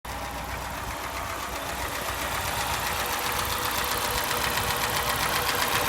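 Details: Lada Niva engine at idle: steady sharp knock at about four beats a second riding over the idle; source of the knock not identified.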